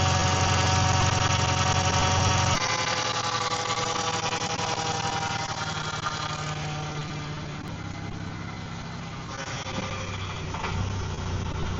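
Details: Car idling after about a liter of fresh power steering fluid was added: steady, even idle with no whine or groan from the steering pump.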